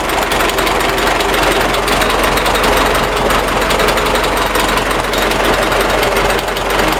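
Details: MTZ tractor diesel engine: a hard, rapid metallic knocking, like a jackhammer, over the running noise, indicating a knock inside the engine.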